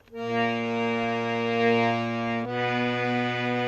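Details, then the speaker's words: Well-used harmonium, two coupled reeds on one note, before tuning: sustained chord with slow audible wavering as the reeds fight; one reed of the pair, high or low, is off pitch. "but sometimes you hear this where the two notes are fighting to meet and they're wavering a little same on this note here"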